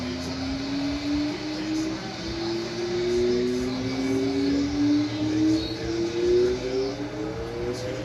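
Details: Late-1800s Westinghouse antique fan after fixing a bushing rubbing on the front housing: smooth motor hum climbing steadily as it spins up, vibration gone, no rubbing or knocking.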